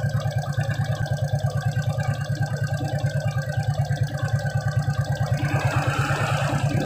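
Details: Suzuki Shogun 125 at a steady idle with a regular single-cylinder thump, speed rising slightly near the end. It had weak charging, a rough engine sound with the battery removed and frequent battery replacement. The CDI supply went from 2 V to 5 V after a kiprok (regulator) change, and it now runs evenly.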